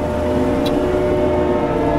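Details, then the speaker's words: Forestry mulcher head grinding down a tree stump and its root system: steady droning whine from the spinning drum with rough grinding underneath as it chews roots; ground until the grinding stops. Normal mulching under load. "make sure you get the roots let your multer speed up you can hear you can hear the grinding"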